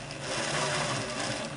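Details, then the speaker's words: Singer model 466 sewing machine after top gear swap and timing belt reinstall: motor whir sounds sluggish and strained, running slow because belt tension is too tight; tighten until the motor strains, then back off slightly. "see how slow it's running now [Music] turn that up until you hear the motor strain a little bit and then turn it back down a tiny bit and tighten it"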